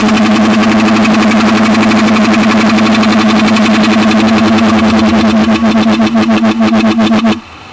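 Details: Ford Mondeo 2.5 V6 running: a steady droning hum with a quick regular ticking, about four beats a second, until the engine cuts off. The source of this abnormal engine noise is unknown.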